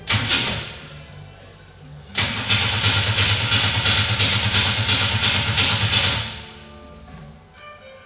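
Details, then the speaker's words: Car with Megasquirt ECU, separate igniter box and turbo, after fuel pump wiring fix: four seconds of steady rhythmic cranking that never fires; crank-no-start. "Now, this has been a real roller coaster of a thing. It's been one problem after another."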